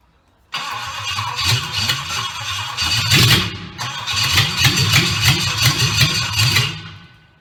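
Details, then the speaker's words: Triumph Stag V8 on a test bed after full rebuild, start attempt on jump pack with rebuilt carburettors; cranks and coughs with ragged uneven firing that never settles, fuel starvation at carbs; carbs later found misadjusted, firing order also wrong. "Right, so we have a fuel issue. Not getting fuel to the carburetors. Might need the carburetors adjusting up a bit."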